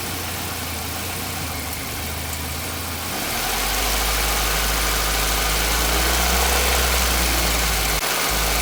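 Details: Nissan Micra with HR16DE engine at 3,546 km: steady idle with a regular light knock tied to engine speed, nearly four beats a second; engine knocking persists, cause unclear.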